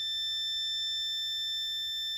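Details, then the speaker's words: Multimeter in continuity mode with the probes held together while checking parts for an LM386 pedal build: a steady, high, pure continuity beep holds unbroken for the whole clip, normal function. "but when you flip over to continuity mode, these two, when they touch, make a sound. So if I hold these together and I flip to continuity mode, I hope you can hear that little beep."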